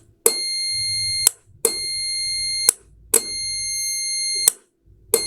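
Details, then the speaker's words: Relay switching-contact test with a multimeter in continuity mode, adapter powering the coil: steady beep cuts off and returns at each switching, about every 1.5 seconds; contacts open and close properly, relay good. "Do you see, guys? Open, close, normally close it, open, close, open. Now I'm sure that this relay is 100%"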